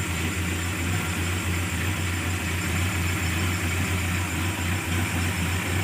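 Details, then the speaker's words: Carbureted engine after removing the faulty solenoid valve needle and adjusting the carburetor, fixing hard starting, sputtering and low power: starts instantly, low steady even idle with no misses or stumbles; normal idle. "Oke hasilnya bagus [Musik] hasilnya bagus langsung hidup ya mudah sekali hidupnya"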